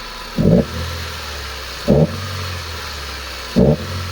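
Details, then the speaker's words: Mitsubishi Lancer after fixing a misfire caused by rust in the coils and spark plugs after an engine-bay wash: steady idle with three quick throttle blips rising cleanly and settling, no misfire or hesitation. "बिल्कुल okay हो गया बिल्कुल बेहतरीन हो गया"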